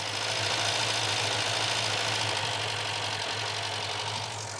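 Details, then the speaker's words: Barn-find car on its first drive in over 10 years, idling in gear. A rough hum drops out now and then with small pops, a slight misfire at idle. Owner suspects timing and plans to order new plugs. "Definitely misfiring still slightly. Not a massive miss. That might be timing wise. Hear it popping through there a bit."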